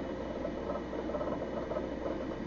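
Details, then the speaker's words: Thirty-year-old Amiga 2000 with a Fusion Forty 68040 CPU card and its original added hard drive: a busy, fast patter of soft seek clicks over a low drive hum. Ordinary head seeking, and the drive sounds healthy. "that let all that noise with the hard drive and stuff that's actually way it sounded back then - no there's nothing wrong with it it's exactly what I remember"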